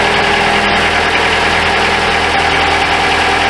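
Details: 2012 Chrysler 200 2.4L at cold idle, checked for suspected exhaust manifold leak or crack causing cold-start noise; steady, even idle with air pump hiss on top and no exhaust ticking; sounds sealed up.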